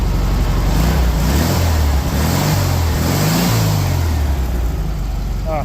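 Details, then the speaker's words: 1973 VW Beetle that would not stay running, after the plug wires were corrected to the 1-4-3-2 firing order, before timing: even engine note climbing and settling cleanly through revs without stumbles or misses; normal smooth running. "So glad that's all it was. That sounds amazing."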